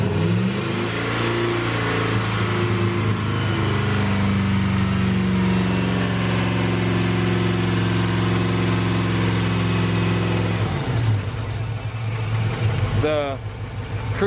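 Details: LS-swapped Chevrolet Suburban, first start after the swap with a new cold air intake: V8 holds a steady, raised speed for about ten seconds, then drops sharply; high idle, control cable too tight suspected, not confirmed; no knocks.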